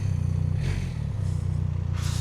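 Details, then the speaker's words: 2025 BMW R1300RS Performance sports tourer, 1300cc boxer twin, keyless start in neutral: catches quickly and settles into a deep, steady, even-firing idle with no rattles or misses; healthy start. "lovely Boxer 1300cc sounding engine."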